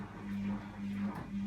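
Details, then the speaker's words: AEG L76680WD washer dryer (owner suspects the drying side is faulty), super-fast wash on its second cycle with the door locked: the drain pump kicks in with a low, even hum in short bursts. It sounds normal with no grinding. "20 minutes it's gone on to the second cycle the lock is on there's the pump coming on"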